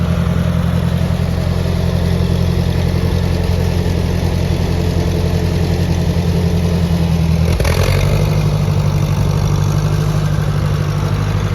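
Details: Ford 601 Workmaster 40 hp gas tractor idling after start-up: a steady, even low rumble with a smooth firing beat and no knocks or misses; it idles cleanly.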